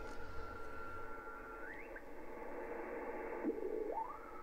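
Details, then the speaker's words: HF receiver on 40m: hiss with steady whistling tones sliding up and down, repeating lines in three groups with a burbling noise, one just out of band near 7190; unidentified interference source, possibly something charging itself up. "so you can see these these lines and they'll repeat there's three loads and they have like a bit of a bit of a burbling noise associated with him"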